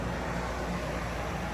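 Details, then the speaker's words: Whynter 14,000 BTU dual-hose portable AC running indoors, set low so the compressor kicks in since 50 degrees outside was too cold: even, steady low hum with airflow hiss, no rattles, squeals or cycling, probably a little quieter than a 14,000 window unit; normal running. "But it ain't too loud. It's probably maybe a little quieter than my 14,000 window unit that It is kicking out some cold air there."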